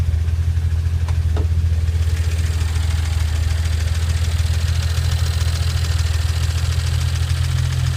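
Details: 2009 BMW 335i N54 at idle with a constant loud ticking that grows with revs and persists when warm; began after a JB4 firmware update, said not to be typical direct-injection injector noise. Cause not pinned down.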